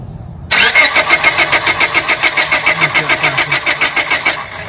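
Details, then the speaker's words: 1997 Honda Civic 1.6L D16Y7 with intermittent then total no-start; fuel, injector pulse and 150 PSI compression fine: starter turns at about three and a half beats a second, never catches; igniter control present but ignition coil gives no spark. "now I'm going to hook back to my negative and I'm just going to crank this again to mirror verify we have no spark we should see a spark jump in that Gap right there and we do not"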